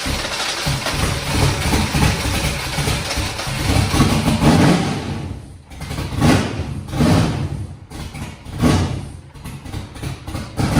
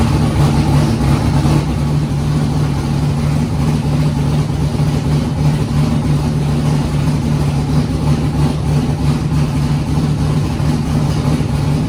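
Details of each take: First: Foxbody Mustang 408 V8, Holley Terminator X wizard tune, first start after fuel pressure set: cranks and runs but revs sag and surge in waves, won't idle without feathering throttle; next step is manually cracking the throttle blade open. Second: Foxbody Mustang with 408 V8 on Holley Terminator X, first start: deep steady idle holding speed evenly, no stumbling or hunting; idled great through first heat cycle, up to temperature; healthy.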